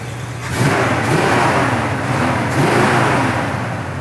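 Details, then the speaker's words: 1971 Oldsmobile 442 Convertible, factory 455ci four-barrel Rocket V8, Turbo 400 three-speed automatic, after kicking choke down: deep smooth V8 rumble swells with two easy throttle blips and drops back cleanly; healthy engine. "Sounds good. Great sounding engine. This is a 455, and this car came factory with a 455 as well."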